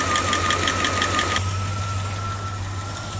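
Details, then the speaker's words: 1989 Dodge D200 right after camshaft bearing rebuild, first start: quick even tick about three per second over a steady idle that fades; ticky lifter expected to go away; fuel leak later found at braided rubber line. "it's got a Ticky lifter right now but that should go away"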